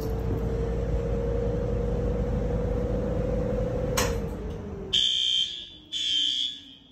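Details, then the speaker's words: Notifier NFS320C panel with System Sensor L-series white horns, newly replaced system in a 1958 elementary school; horns set to high volume yet not very loud, two sharp horn blasts after a low drone during alarm testing. "That's not very loud, is it? I put those on high volume too."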